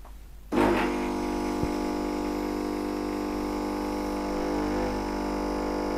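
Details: New Nivona 690 coffee machine with a factory defect, brewing at the finest grind and strength level 5 after a microswitch repair: sudden start, then a smooth, steady grinder and pump drone with no rattles; coffee made normally.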